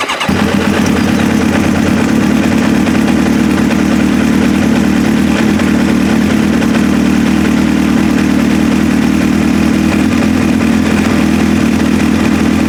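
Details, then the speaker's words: Restart of a 2002 Kawasaki ZX7R after a carb service to clear clogged pilot jets, previously hard to start and wouldn't idle without choke: on choke it fires at once and holds a steady, even idle. "it's gonna take about 10 to 15 seconds to get some fuel in the carbs and then it should start right up then I'll shut it down and we'll start it up again"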